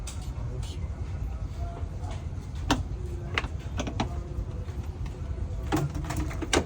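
Low, even rumble holds steady with no knocks or misses, just a few handling clicks over it; the rebuilt engine idles smoothly.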